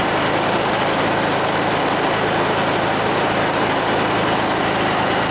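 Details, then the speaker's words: 1969 VW Beetle air-cooled flat-four, fully warm, idling after the timing was set to about 31–32° full advance: a steady, even air-cooled clatter with rpm up and smoothing out, no misses or stumbles; normal warm idle. "There you RPMs came up. Got some heat into it. Smoothing out, too."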